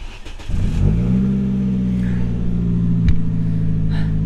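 Brief crank, then the engine catches quickly, flares up and settles into a steady, even idle; a clean normal start.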